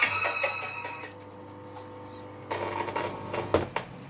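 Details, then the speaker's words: Stranger SM6 mixer brought in for repair, with humming and buzzing when knocked. When jolted, the power LED goes out and the music cuts out and returns with crackly bursts and knocks. "हम किसी झटका देने पर power की LED भी चली गई और म्यूजिक बंद होगा"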